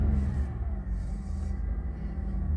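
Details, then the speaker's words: Holden VF Calais V6 after high-flow cat welded into existing assembly and two intermediate restrictions removed, heard from inside cabin with windows up: ignition then deep, even rumble without stumble, ticking or rattle; normal healthy idle. "Commencing ignition sequence now. We don't want it loud, but we want better flow."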